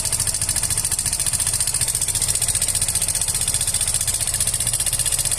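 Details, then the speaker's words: Yamaha Fino 125 scooter, never run dry or overdue on oil, idling with a loud, harsh metallic clatter about four times a second from inside the engine, confirmed not from the CVT or roller housing. "Oke teman-teman, kita dengarkan di sini suaranya sangat berisik sekali ya. Ini sudah 100% bukan dari CVT."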